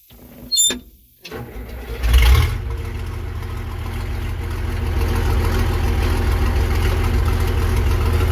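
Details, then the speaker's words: Versatile 800 tractor restarted with the muffler still off; after a brief start-up burst, a loud, raw, low diesel rumble builds and holds steady, unmuffled, running on an open exhaust. "But at least we get to hear it run again without the muffler on, right?"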